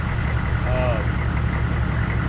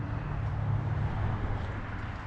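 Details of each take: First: 1994 2500 diesel truck after a new fuel filter; it fired right off after the glow plugs cycled off, better than before. Steady low diesel idle with an even beat and no misfire or stumble; it runs clean. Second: 1994 2500 diesel truck just after a new fuel filter and hoses: quiet at first, then it catches and runs with a rough, uneven diesel clatter. Air is still trapped in the fuel system; no fuel leaks.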